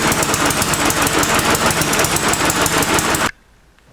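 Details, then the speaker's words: Five-year-old Briggs & Stratton 300 series 148cc mower with Pulsa Prime carburetor runs choppy and uneven, then cuts out abruptly; sputtering, surging and a black sooty spark plug show a rich mixture. "running too rich it's running rich because I could tell because it sputters and also when I take out the spark plug it's black and city"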